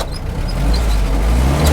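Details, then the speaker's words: 1946 Jeep Willys, upgraded engine with helper fuel pump, resealed water pump, original radiator: starts easily as it does every time, then a steady low, even idle with no knocks or misses; 55 psi oil pressure afterward; healthy cold start. "Let me start it up for you. So the emergency brake still works, and it starts up like that pretty much every time."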